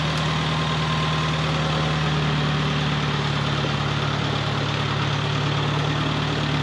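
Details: 1948 Farmall Cub tractor, long stored over winter, idling to warm up for an oil change on a roughly 33°F day: steady low chug at about three beats a second, even and unbroken with no knock or miss; idling fine.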